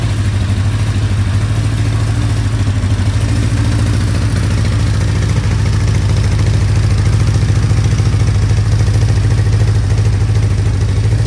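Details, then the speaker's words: 1975 Honda CB550 four, first start after 10–20 years parked: low, chuffing, lumpy idle; one cylinder misfiring, has spark but no fuel, owner suspects a too-small carb jet; runs on three cylinders. "now why is a cylinder misfiring while we check the spark has spark and it's not getting fuel"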